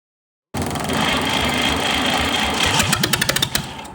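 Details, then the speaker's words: 1962 Fordson Super Dexta diesel tractor, sitting 25 years, after closing the open fuel bleed line: the starter grinds for a couple of seconds, then the diesel catches with sharp, uneven chugs and fires for the first time in 25 years. "And she fired for the first time in 25 years. So exciting."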